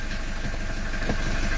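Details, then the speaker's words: 1982 Mercedes 240D diesel, cold start after valve adjustment and new return lines, good glow plugs and oil pressure: even low diesel clatter at steady idle with no misses, knocks or hunting; smooth normal idle. "we've got good idle the valve's adjusted"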